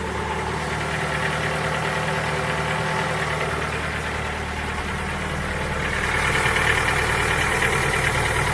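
Cold idle with a fairly regular knock, about three per second, over the engine hum; there is a knock when cold but the cause is unclear.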